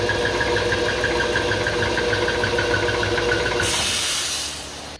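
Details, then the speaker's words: 60-gallon Husky air compressor that bogged and smelled of burnt rubber: high squeal pulsing about three times a second, then air hiss and cut-out; loose slipping belt, not capacitors or pump seizing; belt replaced. "this is why we were smelling burnt rubber and this is why we kept hearing the squealing coming out from the back end for a moment I thought maybe my air pump was seizing up"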